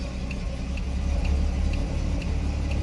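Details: 1959 Chevrolet Bel Air, engine idling, turn signal with aftermarket flasher relay: light quick ticks about twice a second, hyper-flashing; aftermarket relay at fault.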